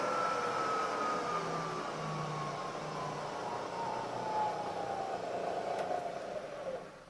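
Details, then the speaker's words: Milling machine (drive motor in the head) with its spindle running at about 1000 rpm in the high range: a smooth, steady whir with a clean high tone that drifts slightly lower; normal high-speed spindle running. "come up to a thousand rpm and when you're working with very small tools you can get a better finish and get your work done faster you're running up at these higher speeds"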